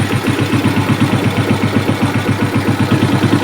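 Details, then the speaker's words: Suzuki Smash single-cylinder, brought in for smoking and rough running when hot, with some compression leakage: after carburettor adjustment the idle thumps steadily at about four beats a second, slightly uneven; runs normal, problem was carb setting. "Nah, ini masih normal ya cuy ya. Berarti ini settingan karbunya aja."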